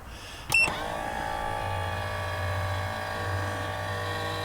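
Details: MaxxAir/MaxxFan-style RV roof vent, newly installed, lid closing automatically after the fan stops: a short click, then a smooth low motor hum as the lid draws shut. The closing mechanism sounds healthy.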